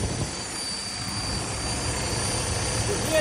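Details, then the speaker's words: Freightliner Cascadia DD15 diesel idling: a thin steady high whistle is air leaking from the exhaust port of the engine fan solenoid. This kept the fan on and drained secondary air pressure; the solenoid was replaced. "that whistling noise? Right there. That's the dd15 solenoid. So I think I got a busted engine fin solenoid."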